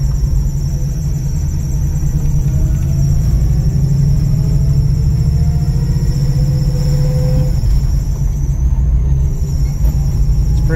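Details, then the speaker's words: 1964 Chevy II Nova driving, thin squeal rising with engine rpm on acceleration over road rumble, easing when clutch is pulled in; slipping belt, owner suspects always-on electric fan drawing amperage; worse when cold. "annoying all right so on these old engines when you hear that type of squealing I mean she was gonna be a belt I mean it could be a bearing the other things but when it goes up with the engine rpm like that"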